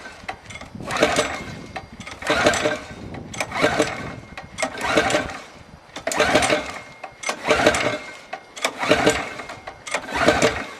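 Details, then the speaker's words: Kart with new Briggs & Stratton World Formula engine replacing KT100, first start on break-in non-synthetic oil, fresh 93 octane, choke on: repeated pull-start bursts with no catch, fuel line empty, not yet primed to carburetor. "Now, there's not any fuel in line, so it may take a while to get it primed."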